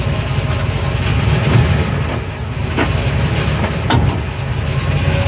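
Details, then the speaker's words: 2002 Ford F150 SuperCrew shifted back and forth while holding the brake, phone under the rear of the driveshaft: a low rumble with a few sharp single clunks. Play in the worn rear U-joint. "So, that's it. So, we have a bad U-jint on the back of this truck. So, not a big deal to fix."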